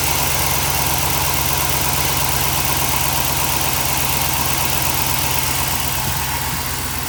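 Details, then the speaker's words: Chevy truck LS V8 (1999 and later) idling after the exhaust manifold was refitted and bolts torqued middle-out: smooth steady low burble, no ticking or puffing, exhaust leak gone, normal idle. "as you can tell we don't have an exhaust leak no more"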